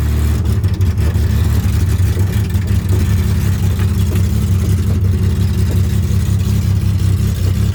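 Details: Widebody BMW E30 on MegaSquirt ECU, first test drive in 2 years: deep engine pulling under load with an uneven lumpy drone over road noise; owner says it has tuning issues; rough running under acceleration.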